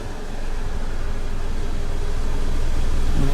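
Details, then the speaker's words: 2009 Scion xB, about 17 years old, at idle in reverse after a short spray of tire lube on a suspected engine mount. Low steady rumble with a slight throb, engine vibrating but no squeak. Owner suspects an early mount failure. "It's vibrating, but there's no noise. drive. Vibrating, but no noise."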